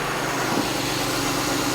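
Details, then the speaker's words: Jeep Grand Cherokee 3.6 Pentastar V6 at a steady, even idle after rocker arm and camshaft replacement; the previous ticking noise is gone and only a light, fast injector tick remains. "Ticking noise is gone. You just hear some injectors."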